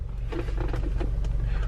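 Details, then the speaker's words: Audi A4 B8 2.0T idling after alternator replacement, having earlier shown misfire codes P0300/P0301: low, steady, even idle hum with no stumbles. The misfire totalizer reads zero, so there is no more misfire and the engine runs fine. "we have zero for the misfire totalizer so guys there's no more misfire she seems fine so far"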